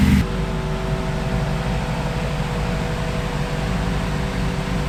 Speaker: here she is guys now as you can hear she doesn't idle too well i don't know if you can just hear she's a little lumpy on idling